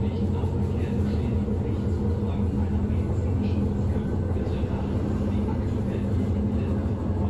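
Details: Berlin S-Bahn BR485 railcar 485 112-7, built 1991, onboard ride Schönfließ–Hohen Neuendorf on S8: heavy low rumble and rattling in the carriage with dull repeating thud from below; severe wheel flat spot.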